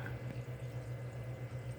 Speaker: See, my secondary drain is burping air. Why is it burping air?